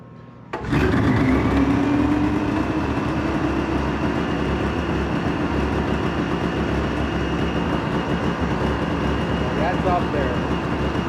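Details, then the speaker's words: Polaris Ultra two-stroke after an oil change: starts at once but holds a fast buzzing high idle that comes down when choked. Owner hopes for dirty carbs rather than crank seals; the choke also needs fixing. "it does start it does run sounds good minus the high idle you can get it to come down when you choke it"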